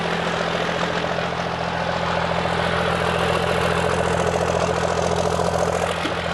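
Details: First-gen 12-valve Cummins diesel started after installing an Amazon radiator, valve lash checked, oil and coolant in, warming to open the thermostat and bleed air: deep even clatter at steady idle, regular pulses, no knocks or hunting; healthy.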